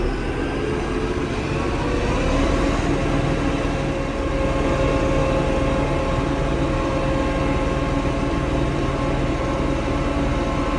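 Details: Diesel tractor that went into limp mode, capped at 1500 rpm instead of 2500, and stalled: uneven, lumpy beat around four pulses a second. Rough running from water and slime in the fuel, found in strainer and water separator.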